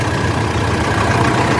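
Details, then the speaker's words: Mitsubishi L200 Triton 3.2 diesel, first start after timing chain replacement: steady idle with faint rough chirp over the clatter from old, tight accessory belts; belt noise, not chain. "ver o zero já tá com barulho aqui ó Mas é das Correias correia dela é velhas apertadinha você fala Acabou barulho"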